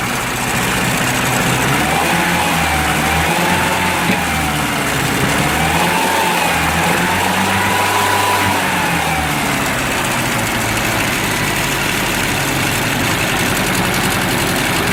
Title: Misfiring UAZ